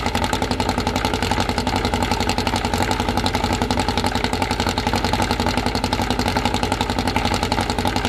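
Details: Newly assembled 2054 engine (Fusca) on its first start: steady, even idle near 1200 rpm, kept high so parts seat in, quick regular pulses and faint gear whir, no knocks; healthy.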